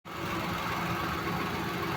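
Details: Fiat Mobi three-cylinder Firefly engine at idle: fast light rattling buzz easily mistaken for a belt tensioner or clutch bearing, actually a faulty valve-cover breather (PCV) diaphragm/gasket.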